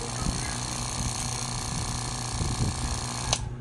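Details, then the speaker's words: Customer's AVR (automatic voltage regulator) is noisy when switched on, tested on 220 V AC input: harsh, steady electrical buzz with faint clicks from a chattering internal relay; adjusting the middle adjuster stopped the noise but pushed output voltage too high. "Ayan, maingay talaga. At try natin yung voltage guys, kung meron bang voltage sa 220, naka AC tayo. Ayan, yung relay nyo maingay guys."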